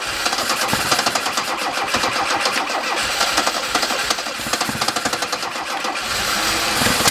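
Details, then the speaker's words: Alfa Romeo with SPICA injection pump, after the gap, rod length and timing were adjusted to cure very rich running: the engine catches and settles into a fairly quick, somewhat uneven idle with crisp firing pulses; it is running now. "okay well as you can see now it runs and I'll tell you what it was it's pretty dumb"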